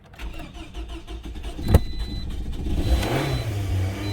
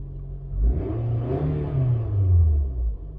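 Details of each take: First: Toyota, 173,370 on the clock, towed in as a won't-start misdiagnosed as a faulty fuel pump, check engine light on, misted-up car: uneven cranking then catches into rough stumbling idle with tailpipe smoke; flooded engine, not fuel pump. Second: Carbureted Toyota towed in as a no-start that another shop misdiagnosed as a fuel pump fault, just started and partially flooded: a deep, uneven low rumble swelling and dipping as it clears fuel and settles.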